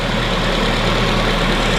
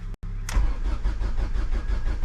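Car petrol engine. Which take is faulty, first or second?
second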